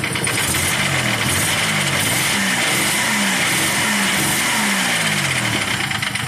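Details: Nissan Maxima J30 with VG30E V6 at idle: unstable, stumbling misfire with a fast light ticking from the top end; owner suspects clogged injector, lifters or rocker arm, possibly after switching from 5W30 to 5W40 oil; cause unconfirmed.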